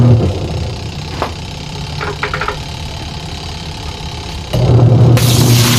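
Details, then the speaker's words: Sharp single-tub washing machine before repair, runs fine empty but struggles with water: even motor hum, then a harsh gravelly roar like grinding stones as the tub takes load; more water and it can't turn, gearbox grinding. "Kaya lang yung kabilang side, pagka umikot na, maingay na, parang gumigiling ng bato. Tapos pag dinagdagan mo pa yung tubig, wala na, hindi niya na kayang ikutin mga idol."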